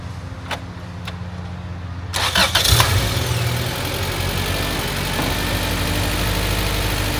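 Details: Honda Civic hatch after valve seals, timing belt and water pump, timing set to 16°, not yet up to temperature: quiet cranking, quick catch, smooth steady idle with no knock or miss; normal cold idle.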